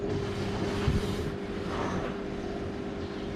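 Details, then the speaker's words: Toshiba 9 kg washing machine with noise underneath and no spin-dry: steady motor hum with mid-pitched tone under rushing noise while the drum spins up, quiet with little bearing noise; drain unit with stripped gear suspected. "มีโปรแกรมของเขาก็ค่อนข้างจะเงียบอยู่นะไม่ค่อยได้ยินเสียงลูกปืนนะครับ"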